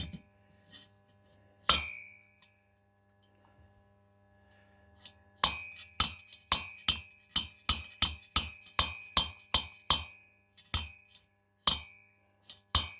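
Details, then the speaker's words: Cox 1776 engine cylinder head: after lapping, the valve shows a grey contact trace all around its seat; released from the spring compressor, it snaps down with crisp, clean wooden clacks, no dull or buzzy contact, so the valve seats properly. "Hop. Alors, j'écarte un petit peu le support, voilà, pour qu'elle descende. On entend le bruit, au bruit quand elle claque."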